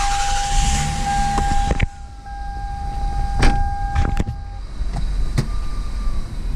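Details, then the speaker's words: 1999 Lexus ES300, 68k miles, 1MZ-FE V6, after replacing the faulty ignition coil that caused P0300/P0301/P0304 misfire: steady even idle with no stumble, all cylinders firing, smooth as butter. "oh yeah oh man that was super smooth smooth as butter"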